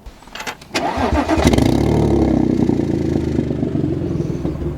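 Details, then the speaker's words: Tuned Audi S4 (B8): engine starts into a loud, raspy, uneven burble; a small exhaust leak has worsened into an open exhaust hole. "so if you saw the last video you know I have a little bit of an exhaust leak but that exhaust leak has since turned into an exhaust hole"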